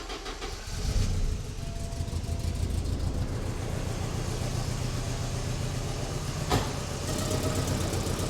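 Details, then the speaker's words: Porsche 944 with the cylinder 4 injector deliberately unplugged: low, uneven idle with a steady stumble each cycle, running on three cylinders; plugging the injector back in kills the engine. Injector fault suspected, not confirmed. "all right now just for fun I've gone ahead and unplugged the cylinder 4 injector just to see if we get the same condition where we run on three cylinders let's just"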